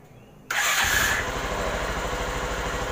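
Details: Bajaj Pulsar motorcycle after replacing the weak, noisy starter dynamo and adding a ground cable: a quick crank, the engine catches within half a second and settles into a steady, even idle. It now starts cleanly.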